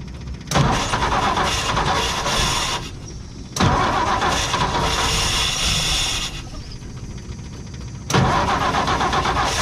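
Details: 1958 Ford F100 panel truck, plugs cleaned, carburetor cleaned, carb cleaner used to start, fresh fuel from new tank: ragged, uneven bursts stumbling out between cranking, not firing every cylinder; ignition points at fault, later replaced.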